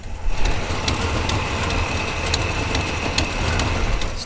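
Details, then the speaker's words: 1967 Buick Special with 415HP small block Chevy 350 idling after fuel tank repair (brazed filler, adjusted sending unit): steady even low rumble with faint light tick, no stumble or hunting; fuel pressure holds, no leaks. Normal idle. "have fuel pressure. Runs good. Doesn't appear to be leaking."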